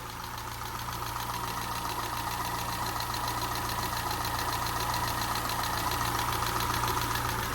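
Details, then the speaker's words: Peugeot 207 engine just restarted after a snapped timing belt, head gasket rebuild and new timing belt; fast even light tapping over a steady idle, sounds too tappy, owner thinks valve clearance may need readjusting. "it just sounds a bit tappy to to me that I think maybe that needs a readjusting"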